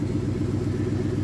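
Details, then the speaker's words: 2002 Toyota Sequoia 4.7 V8 started after fuel pump replacement (previously zero fuel pressure, crank-no-start): steady even low rumble, smooth regular pulse, no stumbles or misfires; normal running, fixed. "Once it's done beeping, then we're gonna give it the start. Here we go. Yeah. Right. Sounds good. Fuel pump. Got it started again."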